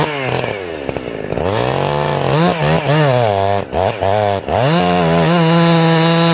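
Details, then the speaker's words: Chainsaw restarting after carburettor tuning with the jet at one and a quarter turns: revs rise and dip, then a steady high scream with crisp response; it returned to a slightly slow idle, so the low jet was adjusted. "now you guys see what i did there it came back to idle and it was idling a little slow"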